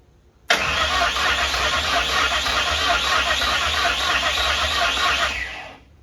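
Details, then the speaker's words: 1959 Ford wagon with standalone Lincoln Town Car EEC wiring: steady fast cranking for about five seconds that never catches; injectors fire but the fuel pump gets no power or signal; crank no start. "It's firing injectors. We're just not giving the signal to the fuel pump."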